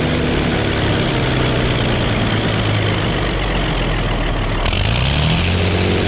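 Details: 1960 Case 930 diesel tractor, first start in about 14 years: steady low diesel chug ticking over evenly at idle with a brief rise in speed, an occasional slight miss, and no knock. Normal diesel idle.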